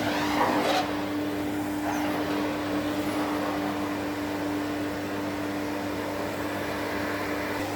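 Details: 1972 Electrolux Z310 cylinder vacuum after cleaning very dirty fans and lubricating, formerly very noisy: smooth, even, steady mid-pitched motor hum with no rattles or grinding; normal running.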